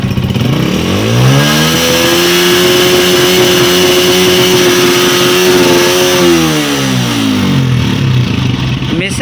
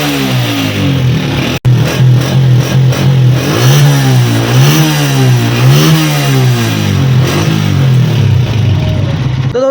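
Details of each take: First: Honda CG 125 (2025 model) before repair: revs rise and fall with an uneven, stumbling beat and missed firings; air hisses from under the carburettor like a pressure leak. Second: 2025 Honda CG 125 single-cylinder, after fixing a misfire and an air-leak noise from under the carburetor. During an RPM check it revs up and down smoothly, with clean pickup and no popping or missing.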